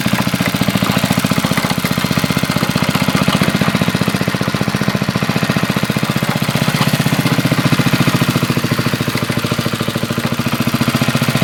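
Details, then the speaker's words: 1981 Briggs and Stratton single-cylinder on a garden tiller, after a carburetor rebuild, air cleaner off: even, steady putter at fast idle with no misses or stumbles. The 40-year-old engine runs smoothly. "and there you have it you know it runs pretty good 1981 thinks 40 years old and purrs like a kid"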